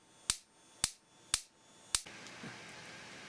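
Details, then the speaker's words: Simplex 35mm cinema projector xenon lamp ignitor under repair, adjusted spark gap: four sharp dry snaps half a second apart, output too low, should spark about 3 cm for the required ~30 kV; weak ignitor spark. "that's a little better still not getting much voltage out of it"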